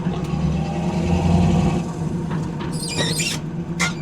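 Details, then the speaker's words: 1976 Pontiac Trans Am with Flowmaster exhaust, driving at low speed: short high-pitched squeaks from the clutch pedal as it is pushed in and out, likely fixable by greasing; suspected, not confirmed. "and again you hear that little squeak from just the clutch pedals just from pushing it and out I think that could be greased up where you wouldn't hear that"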